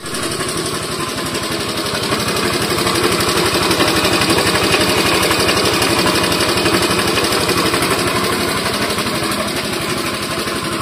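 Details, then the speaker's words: Honda Scoopy eSP scooter engine before teardown for a 130cc bore-up: fast harsh even clatter like a sewing machine, caused by a badly damaged, very wobbly camshaft. "Nah suaranya kayak gitu itu Kasar banget ya jadi Suaranya kayak mesin jahit nah sebenarnya masalahnya cuman ada di sini nah ini noken asnya ini udah rusak banget tuh"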